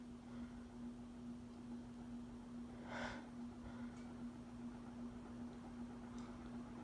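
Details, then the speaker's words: Westinghouse industrial ceiling fan with sharp metal blades and a five-speed wall control, running on low (setting 1) after startup: steady low hum with soft rhythmic whoosh, no knocks or scraping; healthy, though it starts sounding like a helicopter above setting 1. "starts to sound like a helicopter once we get past setting 1."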